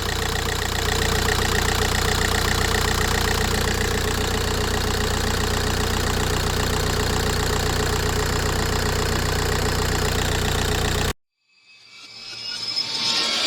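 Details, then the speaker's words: VW Golf 4 TDI diesel that had vibrated as if on three cylinders, after repair and restart: steady, even idle clatter with a regular beat, no stumble or shake, then switched off; vibration problem fixed, normal idle. "Ah, le problème est réglé. Vous voyez? Ça tourne bien."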